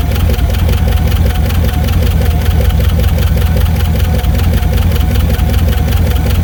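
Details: 1982 MSE Trans Am with swapped Pontiac V8, fired up after storage and washing: steady low idle with uneven tapping two or three times a second; owner suspects valve train knock, may pop valve covers.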